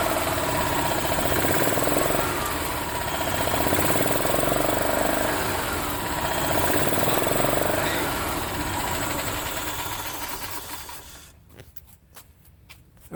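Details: Yamaha Ultramax G23A utility cart, previously a crank no-start, with a crankcase-pulse fuel pump: the small engine runs at an even, steady beat for about ten seconds, then shuts off. It runs smoothly and sounds healthy.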